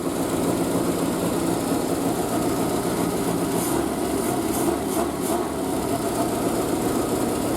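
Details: Triumph Spitfire after a single-carb conversion, unstarted for a couple of weeks, on choke just after a cold start with the exhaust wrap steaming. Steady, even putter with a light fast-idle edge and no misses or knocks; healthy.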